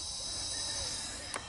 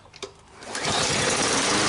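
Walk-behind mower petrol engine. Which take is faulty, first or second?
first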